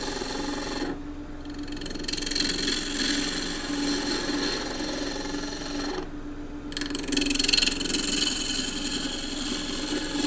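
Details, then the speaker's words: Wood lathe, green timber cut with a Continental roughing gouge, bevel riding then handle raised until a shaving comes off: motor hum under hissing, chattering cut whose note settles as the gouge bites; normal cut. "Bevel can ride on the wood, then you bring the tool up, raise the handle until there's a shaving coming off. You hear the note change and then move forward."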